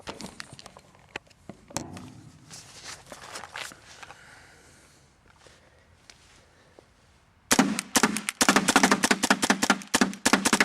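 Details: Paintball marker firing with paint: a quiet stretch, then a run of sharp shots about four per second with uneven gaps, light blinking; eyes, trigger and breech already serviced, owner suspects the micro switch or board.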